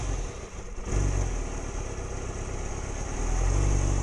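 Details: 2006+ Yamaha R6 cold idle below about 160–170°F, catalytic converter removed: uneven idle that sags and is blipped to stay running, then stalls; owner suspects valve adjustment or lack of back pressure.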